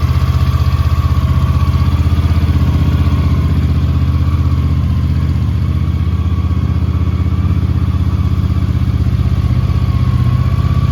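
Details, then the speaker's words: 1983 Honda GL650 Interstate motorcycle, an Ohio barn find just totally restored, idling after its first cold start of the day; deep, steady thump about four beats a second, smooth and even throughout; normal cold idle. "I'm ready to fire it up. That's a cold start."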